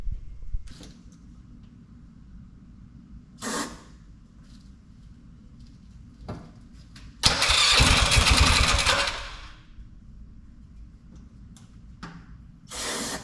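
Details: Polaris Sportsman 500 after top-end rebuild, short bursts of cranking that turn over but never catch; everything around the fuel pump tests good and the tank is full, but pulse line is weak; owner is fairly sure the pump isn't working.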